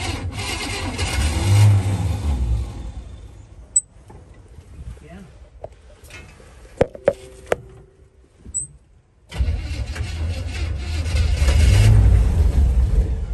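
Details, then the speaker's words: 1961 Chevrolet Impala barn find after 28 years sitting, starting fluid used, oil full: engine catches and runs unevenly with a lumpy low beat about four pulses a second, dropping out midway; rough running. "it's running but it's rough"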